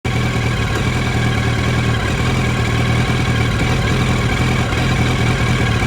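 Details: 2007 Yamaha R1 four-cylinder idling with an uneven, lumpy beat under the exhaust drone, as if one cylinder is missing. The spark plugs were changed but the coils are original. Rough idle.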